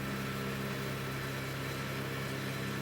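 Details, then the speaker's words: Chinese laser cutter stepper axis moving at 30 mm/s: steady droning buzz with a fixed low tone underneath; stepper motor resonance, going into oscillation (also at 40–50 mm/s, none at 60 mm/s). "30 millimeters a second is a completely different sound but it's still going into oscillation"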